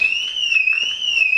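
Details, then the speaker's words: Car alarm sounding for no apparent reason, a high steady electronic warble rising and falling about every 0.7 seconds, then stopping; false triggering with no known cause. "that's the alarm on my car there you go stopped again it's decided to go title for no reason no reason whatsoever"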